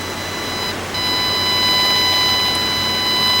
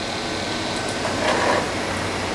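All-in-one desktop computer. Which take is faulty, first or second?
first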